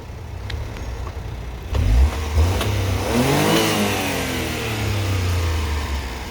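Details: 4WD Honda Acty Attack mini truck, fresh full synthetic oil, free revving: engine blips up briskly with a clean rising note and drops back to idle evenly, no clatter or hesitation; normal free rev.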